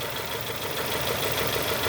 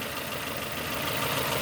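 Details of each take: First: 2002 Nissan Almera N16 with a QG18 cable-throttle engine, misfiring after a spark plug change; coil signal is confirmed on cylinders 4 and 3, and the cause is two swapped coil connectors. A rough, lumpy idle with a steady stumble every few beats. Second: 2002 Nissan Almera N16, QG18 cable-throttle engine, idling after swapped ignition coil connectors were corrected: even, steady idle, cylinders 4, 3, 2, 1 all contributing, no more misfires.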